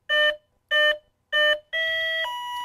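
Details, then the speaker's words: FMS warbird/EDF RC airplane ESC on battery plug-in with the throttle stick not at lowest: three short identical beeps, then a steady tone dropping in pitch; throttle-not-at-minimum warning that stops once the stick is lowered. "okay we have the throttle stick in the wrong position it's not at the lowest position so you'll hear this tone and then we'll lower your throttle stick and it goes away"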